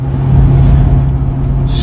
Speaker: So it's been a long time since I've heard this noise, and it does indeed sound like the gas tank is farting. What it is you have vacuum still built up in the system, or it could be air as well sometimes, but this is mainly a vacuum concern.